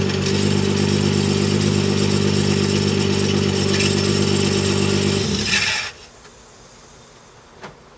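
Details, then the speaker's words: 1993 Mazda MX-3 1.8 V6 running with electrical load from holding window switch up (also worse with subwoofer hits): steady clacking rattle about four a second until shut off; source unknown. "I'm going to pull the window switch all the way up and take put a load in the motor ready"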